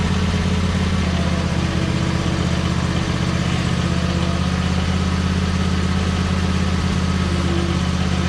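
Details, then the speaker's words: Cub Cadet RZT 50-inch zero-turn mower just after engine swap: low, steady twin-cylinder drone with a slightly uneven beat about once a second, burning off old oil; running slightly rough, owner may adjust, add fresh gas or change fuel filter. "all right so it runs but it's running slightly late so i may need to mess with that a little bit"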